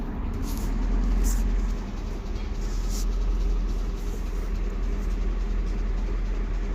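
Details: 2004 Nissan Maxima that cranked but would not start with the security light on: after a relay was replaced, the engine light came on, the security light went off and the engine starts. Deep, steady, even idle with no misses.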